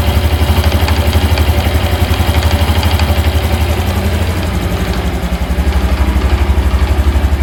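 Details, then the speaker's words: Honda Hunter Cub (JA65) single at idle: quick steady clattery rattle about four per second on the idle beat, absent when revs rise; clutch damper suspected of rattling. "まあ、見れるところはそのクラッチのうん。ところにあるダンパーっていう。ああいつがうんちょっといたずらしてると思うんで、"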